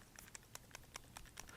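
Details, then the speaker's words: Bigme Hibreak Pro e-ink phone, new out of the box, shaken by hand: faint quick clicking taps about five per second. The side buttons rattle slightly, also when fingers move over them; a minor issue. "you can just hear the slight Rattle and if you move your fingers over the buttons you get a slight rattle as well it's not a huge deal"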